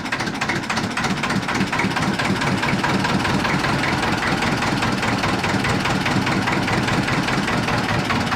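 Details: 1950s Ailsa Craig RL2 raw-water-cooled twin-cylinder narrowboat diesel just after starting: uneven but steady chuffing beat, about two and a half firings a second, running cleanly with no knock. Normal idle.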